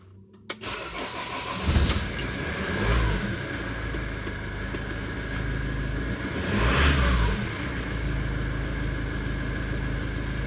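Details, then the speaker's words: Citroen Relay diesel self-build camper van, just after alternator replacement (no belt tensioner), battery 12.53 V: cranks briefly, catches at once, two light revs, settles to even diesel clatter, charging 14.3 V; starts better than ever in two and a half years. "well I'm not off glad that one's over but having said that I don't think the vans ever started so well"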